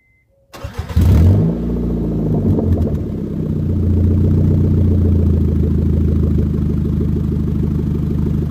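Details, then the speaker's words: Honda (EM2) with stock header, catalytic converter and resonator, running a little rich, before fitting a DC Sports 4-2-1 race header; starts with a roar, settles into loud idle with quick puffing tick on exhaust beat; massive exhaust leaks. "I do have some massive massive exhaust leaks that I don't want to deal with so I just bought that so you're gonna hear it yes my car is running a little rich"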